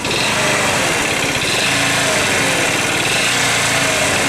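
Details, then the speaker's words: Scooter idling with a faint repetitive tap on the firing beat; valve clearance set to spec, variator, belt and weights removed in turn without removing the noise; knock at idle, cause unknown. "непонятный стук клапана я настроил все по госту зазор так положено но вот этот стук меня уже одолел"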